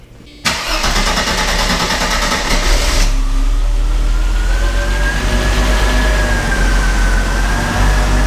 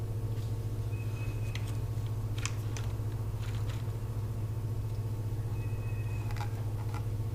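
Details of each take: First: 1990 Mercedes-Benz 300E sedan that had sat non-running for a long time, filmed under the hood after repairs: quick crank, catches at once and settles into a smooth, even idle with a brief rev; healthy start and idle. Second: 1990 Mercedes-Benz 300E sedan, sat unused for years, fresh battery fitted: steady even cranking about four turns a second that never fires; spark confirmed good, so a fuel problem is suspected, possibly the fuel pump.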